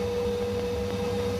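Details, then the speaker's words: Ideal Independent C24 boiler with F1 fault, just refilled with water as temporary fix (pressure sensor possibly faulty): steady hum, constant mid tone and even fan rush as it comes on and purges; running normally. "so that's done it put more in it and then it came on such as purging at the moment"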